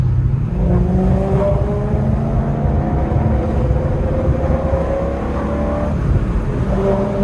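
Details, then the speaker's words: BMW M3, SES light on a week after throttle actuator replacement, alternator also failed: on light acceleration the exhaust note breaks up and cuts out then recovers, car jolting forward; engine stutter, owner suspects a bad throttle actuator. "literally sounds like the car is like breaking up like you can hear that's what the exhaust note sounds like"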